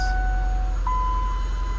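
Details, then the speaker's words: A car with 124 showing on the mileage, just started. A clear single tone steps up to a higher steady tone over a low engine rumble: the tire pressure sensor fault warning chime. "Fire pressure, tire pressure sensor fault. Oh, dang. need a tire."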